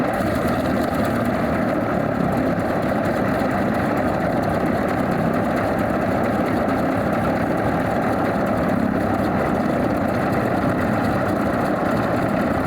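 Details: Alvis Leonides Mk 25 radial engine in a Percival P.56 Provost trainer aircraft, started up with primer pump and all plugs sparking via distributor: steady, even idle with smooth throb and no misses or stumbles; healthy idle after start-up.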